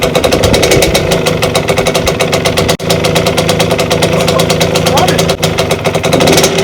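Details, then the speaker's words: 1992 Suzuki RM125 two-stroke dirt bike, first start after a five-month rebuild with the carburetor newly installed: crisp, rapid popping held up on the throttle, rising and falling smoothly with no knocks or misses; a healthy engine revving. "it sounds good it sounds really good hi I definitely need to race the idol whoo all right it sounds it sounds amazing"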